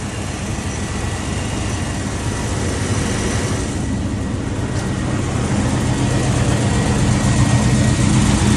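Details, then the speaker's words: Box-body Chevy truck (possibly a K5) after water pump gasket work: steady, even low rumble with no knocks or misses, idle holding level throughout. Smooth, healthy idle; transmission fluid is still low. "all right bro you can cut it off so yeah that's that's smooth"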